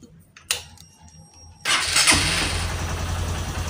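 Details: Honda Verza 150 single after a top-set piston kit replacement (it had run out of oil and sounded rough): short crank, catches quickly, settles into a steady, even idle with no knocking or ticking; healthy.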